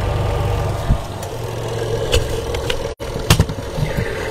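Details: Washing machine spin dryer after replacing its capacitor: steady low motor drone with a few light bumps and no struggling hum; spinning freely and running normally, fault fixed.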